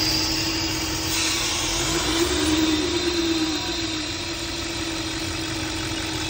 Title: AUDI RS5 In Idle Whistle Sound Coming From inside noise It’s noise coming from PCV VALVE